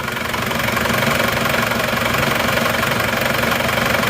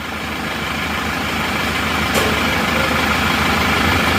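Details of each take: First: Reference Isuzu Panther diesel from Wonogiri, older but just rebuilt without new pistons, started in the morning: steady idle with even light clatter, smoother and quieter than the rough Madura Panther, even engine shake; normal diesel idle. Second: Isuzu Panther LV Adventure diesel at idle: steady clatter with slightly uneven, lumpy beat of about three pulses a second, engine shaking at very low rpm; rougher than other Panthers, owner wants it smoother, cause not confirmed.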